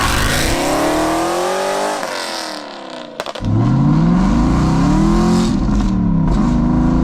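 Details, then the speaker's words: Aston Martin V8 Vantage just back from the shop, free revs on the driveway to about 2,800-3,000 rpm and higher: harsh, booming, raspy roar; exhaust far too loud, like a rally car, undrivable in public. "it sounds like a rally car like it's just awful"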